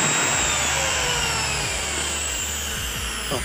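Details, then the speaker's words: CUMI CPAG 1200W angle grinder after repair of its earlier slow running, heavy sparking and burning smell, with the armature at fault and carbon brushes replaced: steady high-pitched motor whine at even speed, no slowing or crackle; running normally. "पहले जो slow घूम रहा था इस बार कर था smell आया था वो प्रॉब्लम ऑलरेडी सॉल्व हो चुका है"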